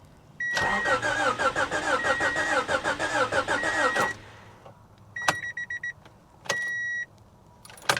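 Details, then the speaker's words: 1985 Honda Prelude at salvage auction, likely sat 15-20 years: brisk even cranking about three turns a second with warning chime, never fires; crank no start, gauge shows no gas, owner suspects no fuel pump. "I'm sure there's no fuel pump nah I knew she wasn't going to start guys I just needed to hear it crank over"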